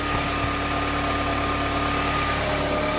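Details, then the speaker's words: Audi TT Mk3 idling after DIY water pump and thermostat replacement; steady even idle with faint belt whir, no misses or knocks; letting it run at 90° to check for overheating and bleed air from the cooling system; normal. "so what I'm doing now just letting the car run basically just seeing if it overheats making sure all the airs out the system"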